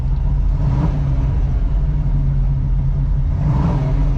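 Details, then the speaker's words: 1985 Oldsmobile Cutlass Supreme V8 with a brand-new carburetor and headers, after driving with abrupt stops and turns without stalling. Steady rumble swells smoothly on two throttle blips and settles back cleanly with no miss. Healthy revving and a nice idle. "Yes, that's what I want to hear. It's got a nice idle."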